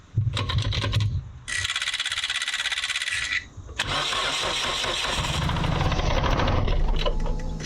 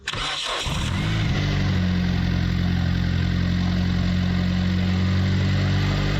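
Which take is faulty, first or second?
first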